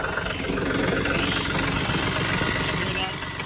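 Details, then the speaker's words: Cold diesel tractor warming up at idle: loud, fairly quick ticking, seeming to come from a part labelled oil; owner suspects oil pump, unconfirmed; ticking lessens and nearly goes away once fully warmed. "Hear that ticking? It sounds like it's coming from here. It says oil here, so maybe it's an oil pump? I don't know. It's kind of loud though. That ticking will lessen and almost go away once the engine is really warmed up well."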